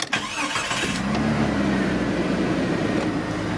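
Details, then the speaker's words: Used Jeep with a check-engine light for an O2 sensor and AC not blowing cold: short crank catches quickly into a smooth, even idle with no knocks or misses; normal start and idle, sounds good. "Where's the keys? Thing sounds good."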